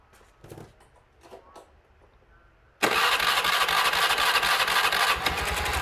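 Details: Automatic scooter that ran but would not move, suspected broken drive belt, after disassembly and freeing a seized part in the CVT: quiet clicks, then it starts with a steady buzzing idle and light revs, smooth and even; no problems remain.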